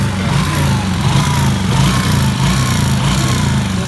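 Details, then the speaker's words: Yamaha Jupiter Z1 motorcycle after a service: a rough rattle that rises and falls with the throttle, from a worn piston left poorly lubricated because a blocked oil strainer stopped oil reaching the cylinder head. "Kalau ciri-ciri piston rusak itu ketika ketika digas dia tetap ada suaranya. Tir, nah, tir, tir. Nah, mengikuti alunan gas suaranya."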